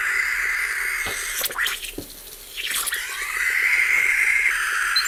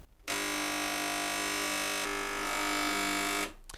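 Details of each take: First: Gaggia Cubika espresso machine after full disassembly and repair with no new parts, pump off: steady hiss of escaping steam with soft irregular ticks and gurgles, then stops; steam wand working normally again. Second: Gaggia Cubika espresso machine, element heating: loud steady vibratory pump buzz for about three seconds with no change in load, not sucking water.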